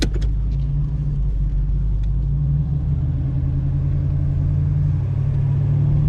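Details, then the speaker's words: 1986 Oldsmobile Cutlass 442 V8 with rebuilt eBay Quadrajet carburetor, running after a cold start having sat a couple of weeks: deep steady rumble, even smooth beat, no stumbles or hunting; owner feels it runs smoother and more responsive. "I'm imagining it, but I feel like the car just runs better, smoother. Feels like more responsive. It's crazy. It's like a whole different car."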